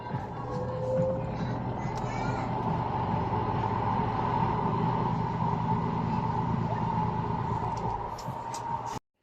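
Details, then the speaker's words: Noisy spin dryer after oiling the rusty motor under the top of the motor: whirs at steady speed with smooth, even hum, no grinding or squeal; fixed, normal spin. "Ayos na So ganun lamang po"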